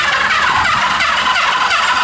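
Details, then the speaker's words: 1970s Honda CB350F 350cc inline-four motorcycle, parked since the 1980s, no carburetors or plugs, previously stuck: fast, steady starter whir spinning engine freely to circulate oil, no binding and no firing. Cranking on starter. "I want to hook up the starter and I want to see if the starter works and we can just spin this thing at a high speed and get the oil circulating in the uh oil pump and hopefully start lubricating the rods"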